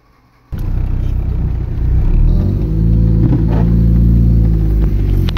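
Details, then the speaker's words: Mitsubishi Lancer GTI neo-classic project car: engine catches, settles, then revs into a deep, even drone with steady firing and no knocks or rattles; owner calls it smooth, healthy running. "Swabe. Kitang rinig na rinig yun naman, diba? Diba? Okay yan, diba? Swabe naman."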